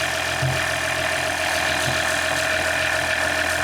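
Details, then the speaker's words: Freshly swapped 3.0L EcoDiesel in a 2019 RAM 1500, first start after engine replacement: smooth, even diesel idle with steady tone and light normal clatter, no knocks or misses, no leaks; healthy. "Beautiful. Quite a nice engine. We got lucky this time. Nothing leaking. All good. Wow, I'm surprised by how it runs the first start."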